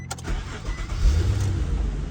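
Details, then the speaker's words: 2003 Nissan Maxima 3.5 with weak starter that works only intermittently, sometimes needs tapping to crank: short crank then engine catches into low rumble; intermittent starter, cranks and starts this time, before starter replacement. "right now the car is having good issue with the starter uh sometime you start it it starts sometime you started again it wouldn't start"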